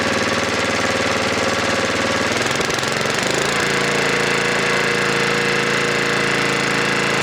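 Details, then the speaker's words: Snowblower engine, warmed up a minute, high idle adjusted with the throttle-arm screw (Torx T10): busy single-cylinder beat stumbles then settles lower as screw is turned in to check over-rev and let it settle back. "okay so what I was doing there was I was turning the screw inward checking for over rev um and then letting it settle back"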